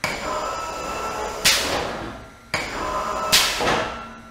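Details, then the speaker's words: 1960s brake press with a roughly 900 lb flywheel, after replacing its bad inner and outer bearings: quiet fan-like hum at full speed, then a sharp metallic clank each time the pedal-operated clutch engages; normal operation, much quieter than before. "and there you go so that that's a full speed right there and I that just basically sounds like a little bit of a fan going on um if you use the little pedal here the loudest part is when the clutch actually engages"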